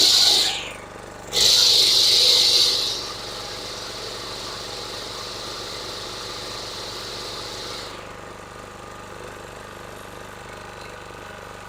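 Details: DR two-wheeled string trimmer (Country Home Products) with electric start, auction-bought and previously non-starting; after draining overfilled, water-contaminated oil and servicing the carburetor, the engine fires, revs to a high steady buzz, then settles into an even idle with no misses.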